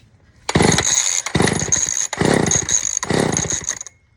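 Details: Old Sears Explorer II chainsaw after carburetor cleaning, previously firing then dying: four crisp rev bursts, each picking up quickly and dropping back cleanly; saw runs smoothly and responds well to throttle, later cuts out only from running out of gas.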